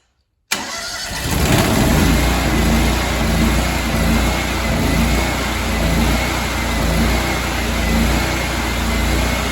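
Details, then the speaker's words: Honda GX630 small engine, healthy reference unit: starts and settles into steady, even run with no knocks or surging; normal running. "So I got something for you here. All right, healthy engine sounds like this."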